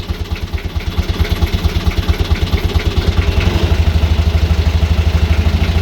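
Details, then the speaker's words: Boat BMC 1.8 marine diesel after owner's first service, started after brief glow-plug preheat and given a few revs: deep, even thrum with steady firing pulses, revs and loudness building gently; normal running. "isn't that bloody awesome oh i love it i love the sound of it"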